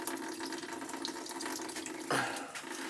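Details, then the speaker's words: Old gas boiler with leaking relief valve; steady trickle and splash of water running back through the feeder as its rubber check valve (backflow preventer) leaks by, not heavily but enough. "there's a check valve rubber check valve in it it's leaking by you see how it's leaking yeah not crazy but enough to"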